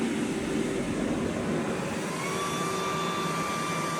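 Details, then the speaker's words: Fresh Ventilation inline centrifugal EC-motor fan running at 100% speed at about 700 m³/h; steady, even air rush with a faint constant hum and no rattles. Normal running. "So, there it's running at about 50% speed currently. You can only just hear it when you're standing next to it. Be a lot quieter again installed."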